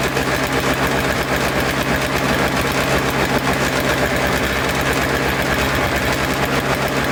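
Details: Toro Snow Commander snow thrower two-stroke, after fresh fuel, fuel line hooked up, choked and primed: steady fast idle, even pulse, no stumbling; ignition switch suspected faulty (stalled when wiggled), carburetor may still need cleaning.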